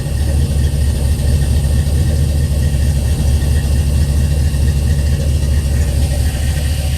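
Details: Pop's old truck started at the key: steady, even low rumble with no knocks, misses or hunting; idling smoothly and healthy.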